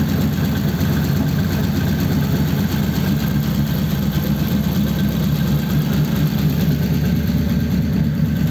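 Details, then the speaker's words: 1933 5-window coupe, worn "crusty" flathead V8 started after nearly 3 years parked, idling in a closed garage through dual pipes with very short mufflers: even, loping low rumble with no stumbles, misses or tapping; normal healthy idle. "It's got dual pipes with just a very short muffler each side. You wouldn't think that this motor was, you know, a complete wreck."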